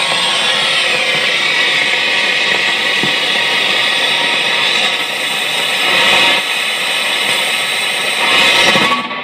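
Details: Fender Hot Rod DeVille 212 tube amp after a couple of minutes of playing: a loud, steady crackle with occasional louder pops, fixed by replacing three tubes.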